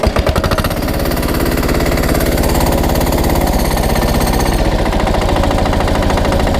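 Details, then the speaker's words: SpeedPro log splitter with a newly installed diesel engine; clutch probably disengages around 1,000 rpm so the flywheels stop at idle. Minimum rack setting is still being learned. Slow, even diesel chug at a low idle, estimated 600-700 rpm, with no knocks or misses; normal idle. "So that's pretty low. I don't know what that is, but it's probably 600 or 700 RPM."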